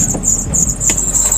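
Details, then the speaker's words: 2005 car with about 161,000 km on the odometer, just after starting. A high, steady squeal from the front fan belt over a cold idle; it is expected to stop once the belt warms up. "Cuman ada yang bunyi nih. Karet fan belt di depan nih bunyi nih guys."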